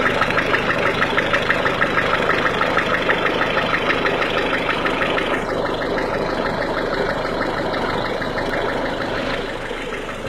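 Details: 1.6 HDi diesel idling cold: steady clacking knock about three per second, easing slightly after a few seconds; cold engine clatter, cause unclear.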